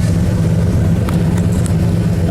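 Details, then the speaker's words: 1972 Ford Custom V8 idling after cold start, heard at the rear exhaust: low, even burble with steady pulses, no misses or ticking; owner says it runs good, normal idle. "I'll be fixing her up soon when I have two older quarters back in fix all this what she does run and she does run good"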